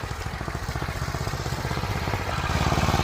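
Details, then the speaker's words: Single-cylinder snow blower in freezing cold during snow clearing: uneven chugging at about four beats per second with lumpy irregular pulses, sounding like it is struggling and about to stall. "And sounds like that thing's going to die out."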